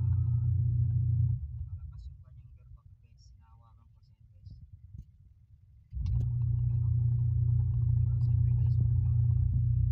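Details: Twin-tub washing machine (washer plus spinner) being repaired for humming and slow or non-spinning tub: steady low motor hum that drops briefly then picks back up evenly, tub drive smooth and healthy; normal running.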